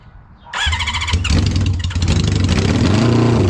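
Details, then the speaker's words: 1972 Honda 500 Four, cold start on the patio after a carburetor and fuel fix: the starter whirs, then a lumpy, uneven idle with one cylinder not firing. Misfire from a gas-fouled spark plug; a new plug cured it. "And I had another new spark plug and I put it in and that took care of the miss. So I think these plugs just got fouled from being slow so loaded up from all that raw gas running through it."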